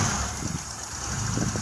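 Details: 1997 Honda that died while driving and wouldn't restart: after checks and topping up the radiator, a steady, even low idle with no misses or surging, running smoothly before a test drive.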